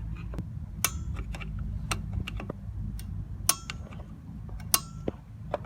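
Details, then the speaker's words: Drum brake adjuster star wheel turned outward to expand the shoes after the adjuster lever, pushed too far forward, was repositioned; sharp single clicks about once a second as the lever ratchets and locks the wheel in place; normal adjuster clicks. "You hear the clicks? You want to make sure it's clicking properly, because then it locks it in that position."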